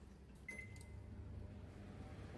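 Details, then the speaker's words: Samsung microwave after cleaning and oiling/greasing the noisy cooling fan motor: one short start beep, then a soft, even low hum with no rattle or squeal; fan now running quietly. "ตอนนี่คือเงียบกริ๊บนะครับผมไม่ดันแล้วครับ"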